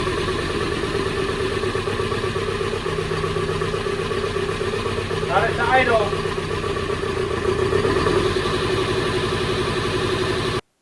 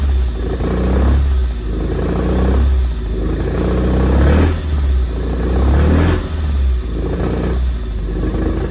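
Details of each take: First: 1974 Alfa Romeo GTV 2000, built 2.0L, after dual Dellorto carbs drained of bad gas, blasted with brake cleaner and reassembled; still on 1997 oil: steady even idle, constant low pulse, no stumbling or hunting; normal idle. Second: 1974 Alfa Romeo GTV 2000, built 2.0L with dual Dellorto carbs, long sitting, first start on fresh fuel: revs surge and sag about every two seconds, no idle; owner suspects carbs full of junk.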